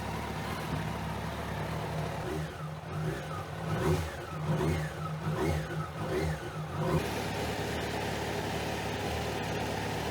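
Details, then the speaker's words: 2001 Kawasaki ZX12R four-cylinder after sitting about 20 years, first heat cycle: even idle without choke, a few quick throttle blips rising and settling cleanly, no visible leaks, some blue smoke after long storage; healthy idle. "The bike is idling without the choke, which is a really good sign. There are no visible leaks and she's puffing some blue smoke."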